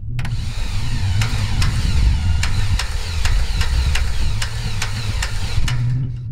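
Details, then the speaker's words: Cessna 182 Continental engine, rear-mounted starter with starter adapter: slow, labored cranking with a sharp click about every 0.4 s over low rumble, engine never catches. Grease leaking from the starter's rear, likely overheated; wounded starter suspected. "here's an example what it sounded like when it kind of working but it's definitely a wounded starter"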